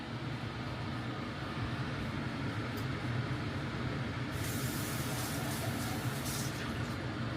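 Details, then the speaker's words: Newly installed kitchen range hood exhaust fan, replacing an old one, first run: soft, steady airy whoosh with a low hum underneath, no rattles or scraping; quiet and healthy, normal fan operation. "Oh, that's nice. I could sleep with this on."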